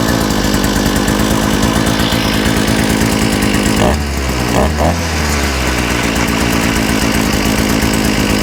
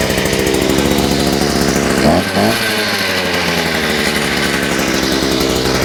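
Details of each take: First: Small engine with a new carburetor, after correcting reversed fuel pickups and removing a kinked fuel line, buzzes steadily at high speed with only a brief dip midway, otherwise smooth and even; normal running. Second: Small engine on a bench with a new Chinese carburetor, its reversed fuel pickups just corrected, buzzes steadily then briefly stumbles and sags before recovering, as if fuel-starved; owner suspects a kink in the fuel line, engine stumbling.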